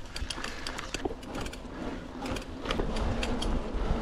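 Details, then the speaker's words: Mountain bike climbing: sharp irregular creaks and ticks, two or three a second with each pedal stroke, worst on climbs; source unknown, owner hopes it's just lubrication, before maintenance. "j'ai un gros problème sur ce vélo c'est qu'il fait du bruit alors c'est pas forcément un gros problème ça m'empêche pas de rouler mais c'est quand même assez pénible dans les montées"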